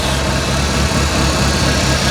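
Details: 1985 Merkur XR4Ti at idle during a power steering inspection, fluid full: steady low rumble with no whine, gurgle or frothy hiss. The pump is not drawing air, though a slow leak is suspected.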